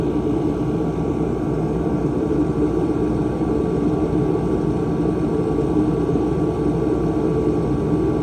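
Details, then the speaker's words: 140,000 BTU Mr Heater fan-forced diesel heater, a few years old with heavy mouse damage, after cleaning, fuel pressure about 6.5 PSI: steady, even roar of fan and flame with no surging, popping or sputter, burning cleanly, not overpowered. "so I'm going to leave this one about 6 and 1/2 sounds good doesn't sound overpowered a good steady uh Blaze if you will"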